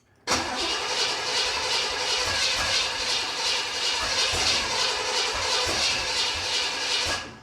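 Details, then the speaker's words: 1979 Corvette with new crate V8, first start attempt: long uneven starter grind, no firing; fuel is reaching it but with sediment, owner suspects ignition timing is way off, later flooding; crank no start. "that sounds like she's way out of time"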